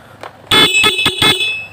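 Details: Honda Click 110 carbureted scooter with whole-vehicle electrical failure, main supply circuit being checked, ignition switch bypassed with a jumper wire: four short clear high honks, so the horn works; the key switch is suspected faulty.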